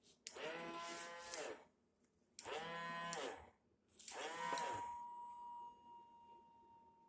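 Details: Swiffer mop on the floor: three long wailing howls that swoop in pitch like a bleat, each stopping as the push stroke ends; the mop squeals with every push, cause unknown.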